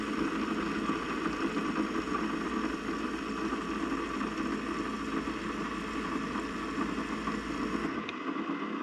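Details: Keurig brewer after stuck check valve removed, cleaned and reinstalled, water loaded: even buzzing pump hum holds steady pitch about eight seconds then stops; pumping water normally.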